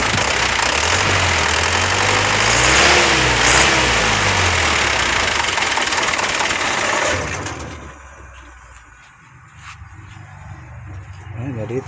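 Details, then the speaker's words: Mitsubishi Fuso Canter HD125PS diesel truck: lumpy, uneven idle stumbling about four times a second. Fuel to nozzle 1 arrives late and the nozzle is likely dirty. Cracking lines showed no rpm change on nozzle 1 (clogged); nozzles 2–4 and Bosch pump fine. "Ini masuk ke nozzle ini agak-agak telat ya, mungkin nozzle-nya kotor."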